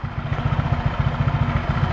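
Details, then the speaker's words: Honda PCX scooter fitted with a Yamaha Aerox pulley, after about 6000 km, just after CVT cleaning and service; soft, even low pulsing at idle with mic held close, no rattle or grinding, normal CVT idle. "Nah, udah mulai kalem kan suaranya nih. Nah, udah mulai enak kan, kalem suaranya."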